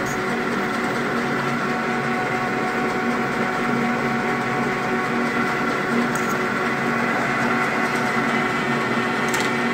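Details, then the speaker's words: Metal lathe turning a machinist jack part without tailstock support: steady faint ringing over spindle hum, mild chatter that worsens as diameter shrinks. "so you gotta hear it shattering it's very mild"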